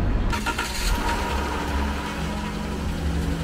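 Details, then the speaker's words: Van broken down in rural Colombia after crazy noises and a rattle; engine restarted, oil level looks good, some leak remains. Steady, even low idle rumble with no knocking, ticking or grinding; crazy noise gone. "wow there's no noise well this is nerve wracking we have restarted the engine it's not making it's not making any crazy noise which is a really good sign"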